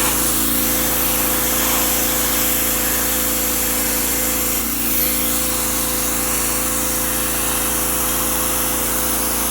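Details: Generac OneWash pressure washer (bought 2015, Honda-clone engine) on heavy setting washing cement: steady even engine drone with constant spray hiss, no surging or misses under load; running properly.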